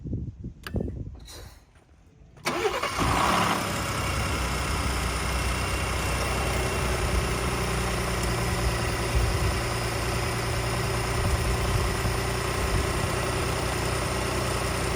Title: 2018 Ford F-150 Arb 8895298 Cold Start Rattle & Timing Chain Noise